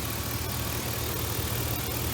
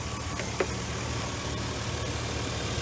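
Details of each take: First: V8 idling smoothly and evenly after spark plugs replaced (cylinders 1, 3 and 6 had wet, fuel-fouled plugs from long-term misfiring); steady low rumble with no stumble, miss or knock, normal idle. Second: V8 misfiring at idle, with good compression, spark and injector pulse, after fouled plugs began to be replaced. A steady idle with a slightly uneven, loping beat and occasional stumble; it shakes less than before, but the misfire persists, milder.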